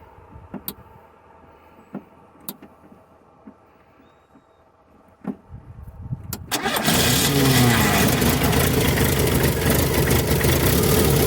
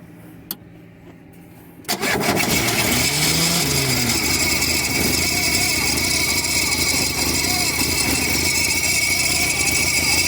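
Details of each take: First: VW Parati AP 1.8 petrol with a recently rebuilt engine, after tightening a loose bolt that caused a strange noise and sparks at the roadside: a few quiet clicks, quick crank and catch, then a smooth even idle. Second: VW Parati AP 1.8 engine, recently rebuilt, stopped on the highway: a harsh metallic rattle with a thin ring and visible sparks, caused by a loose engine bolt striking metal.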